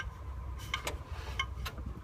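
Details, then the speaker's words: 1999 Mercedes ML320 (W163) during rear driveshaft carrier bearing repair: rear wheel rotated by hand gives brief scraping rasps and a faint squeal, brake grinding from rotor surface rust after two weeks sitting outside in rain. "hear my brakes grinding because even cars been sitting outside in the rain for two weeks you can probably hear that"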